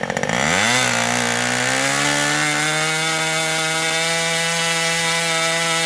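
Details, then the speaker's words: Old Austrian HP 61 two-stroke nitro RC airplane engine, idle-to-throttle transition check: shrill stumble then climbs to steady high buzz with soft pickup; transition a little rich. "now that i've watched the video the transition is still a little bit on the rich side"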